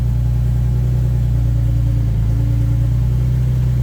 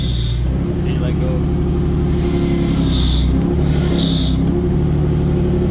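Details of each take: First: 2004 Nissan 350Z 6-speed manual (CD002) after throwout bearing and sleeve replacement, reassembled: steady even idle with no squeal or chirp as the clutch is worked and it goes into gear; normal idle. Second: 2004 Nissan 350z 6-speed manual (CD002), car in the air, engine idling: heavy low rumble with short high squeaks chirping over it from a failing throwout bearing; inner ring broke, pushing on sleeve; clutch pedal sticks.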